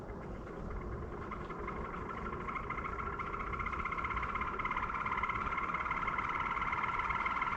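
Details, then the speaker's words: Wife's electric fan on low before repair: steady whirring hum with a raspy, uneven overtone that slowly grows; cause was heavy dust buildup, and after blowing it out it runs silently on high. "But before we do that, I need to fix my wife's fan because it makes an annoying noise."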